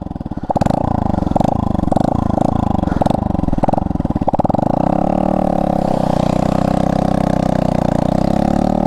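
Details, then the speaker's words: Honda Monkey 125 in heavy rain, aftermarket exhaust snapped and held on by one bolt: the engine catches and settles into a lumpy single-cylinder idle with a raw, loud chuff on every pulse; broken exhaust blowing. "that's loud that's really loud and now that the exhaust has been held on by one Bolt the rest of the exhaust shoot the poop that's not good"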